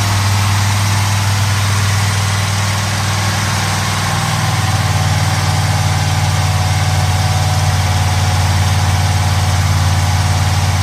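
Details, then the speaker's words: 1970 Pontiac Trans Am Ram Air III, 469ci stroker on pump gas: ported Edelbrock aluminum heads, Lunati hydraulic roller cam (231/239, 110 LSA), 10.5:1 compression, freshly built. Deep, slightly lopey, evenly choppy idle with no ticking or knocking and quiet lifters. Normal idle. "Got a nice little idle to it. This is actually a little bit smaller camshaft than we like to use for this cubic inch, but it sounds good, and the throttle response on this thing is crazy."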